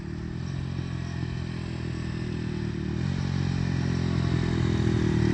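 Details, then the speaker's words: 2010 Dongfeng DF250RTB 250cc single-cylinder air-cooled motorcycle, sat 10 years, revived, ridden without battery: lawnmower-like buzz rising evenly in pitch through the gears to full throttle, passing by, no misses or knocks; runs fine, all gears work. "there he goes still running shifting gears sounds like a lawnmower doesn't have a battery in it so he better not stall it I hear him coming back it sounds like a lawn mower at Full Throttle"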